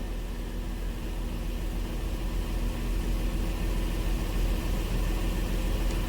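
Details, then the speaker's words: Honda Pilot with P2638 torque management code, misfire history and cylinder 4 misfire counts after ignition coil swap; steady smooth idle with no stumbles or audible misfire, engine sounds good before test drive. "I mean the engine sounds good it's not misfiring okay"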